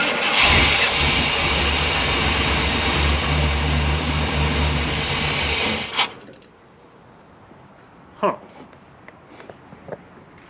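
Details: Truck, electric fuel pump suspected dead (possibly TBI): engine catches on fuel poured in, runs rough and loud about six seconds, then dies; won't keep running, fuel delivery suspected.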